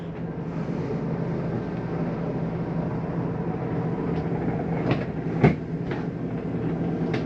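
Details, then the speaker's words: 2024 Flagstaff Shamrock 233S travel trailer slide-out extending: steady low motor drone, then short grinding-like clunk as slide reaches full travel; normal operation, not actual grinding. "Once you hear that little grinding noise, it's actually not a grinding, it just sounds like it."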